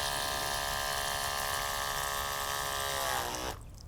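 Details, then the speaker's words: Portable 12-volt DC eBay pump (rated 9–14.4 V) feeding a DIY shower from a bucket: steady buzzing whine sags slightly in pitch as pressure builds with the valve closed, then cuts off cleanly; normal automatic pressure-switch shutoff. "So when the valve is turned off, there's enough pressure in the system, the pump will automatically shut down."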